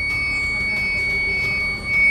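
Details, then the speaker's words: TVS iQube electric scooter, nearly two years old, switched on: thin high electronic warning tone keeps sounding while the scooter refuses to drive on throttle; same recurring fault as before. "ನೋಡು ಅದೇ ಸೌಂಡೇ ಬರ್ತಾನೆ ಇದೆ T ಟೀಟ್ ಅಂತಾನೆ ಬರ್ತಾ ಇದೆ sound on ಮಾಡಿ ನೋಡೋಣ ಮತ್ತೆ"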